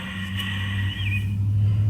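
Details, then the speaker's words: Goldstar window air conditioner, new replacement fan motor (old one had bad bearings) spun on bench: smooth steady hum with clean tone, no rattle or scrape, bearings not loose; normal fan motor running. "I'll try to show you here the spinning you hear that not loose burns are both good"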